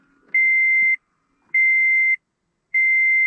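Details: 2013 Toyota Prius with 10-year-old failing 12-volt battery, pressing power button with foot on brake: three long steady high beeps about a second apart; won't go into reverse, traction light on, climate and display cycling on and off.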